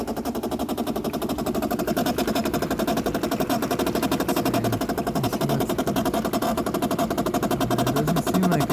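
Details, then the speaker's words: 2008 Bosch dishwasher, about 12 years old, filling with water: a fast buzzy rattle of about four clicks a second as the inlet water valve chatters and visibly shakes. It had leaked and overflowed; replacing the inlet valve fixed it. "okay this is the noise that's happening we don't have water draining out we have water coming in"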